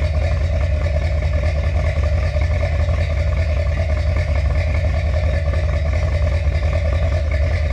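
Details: Finished 1977 Corvette C3 with number-matching steel-crank 4-bolt-main 350 V8 after a two-year restoration: deep, even burble at steady idle with no knocks, misses or ticking; healthy, smooth-running.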